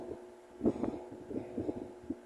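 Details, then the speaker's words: Mallory TS 40 fan running at speed 2: a steady mid hum broken by irregular rattly buzzing bursts. The noise occurs only at speed 2, while speed 3 is strong and quiet. Oscillation is slightly shaky. Cause suspected, not confirmed. "no dois começa o barulho então só faz esse barulho na velocidade dois"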